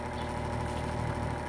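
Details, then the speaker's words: Slow-running electric fan on speed setting 1, struggling to spin up with a steady heavy electrical hum; cause not yet confirmed. "iba ang tunog niya pero sa experience ko pagka ganyan ang tunog pupwede yan siyang sa busing or sa dahil sa mabagal hirap siyang umikot"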